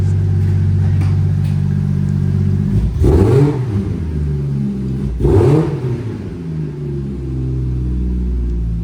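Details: 1995 Toyota Supra, right-hand drive, with a 2JZ-GTE swap and a big single BorgWarner turbo: smooth idle broken by two clean throttle blips that rise and fall quickly, with no knocks or rattles; normal revving.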